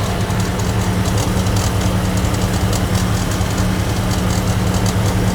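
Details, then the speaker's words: Idling engine with a steady low drone and light irregular ticking that appears when the AC is switched on and loads the accessory belt; tensioner suspected. "What's going on with this one is that it's making noise when you turn on the AC. Go ahead and turn on the AC. That's one of his complaints."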